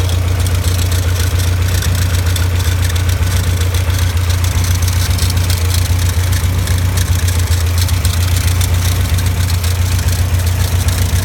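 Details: Caterham Super Seven at idle: steady deep idle with a regular low rattle about four beats a second from the alternator. Alternator bearing rattle.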